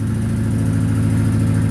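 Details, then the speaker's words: 30-year-old Italian-built Chrysler, about 70,094 miles, petrol engine just started and idling; deep lumpy beat stumbling irregularly, misfiring, owner suspects it needs new spark plugs. "and go and start it up misfiring a little bit still I got to get new sparklers"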